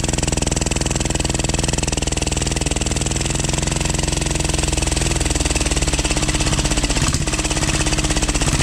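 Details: 12 HP air-cooled single-cylinder diesel, test run after overhaul; it had run once and then become hard to turn (owner suspected piston), valve clearance reset and oil added. Steady, even thumping holding constant speed, no knocks or rubbing. Normal running.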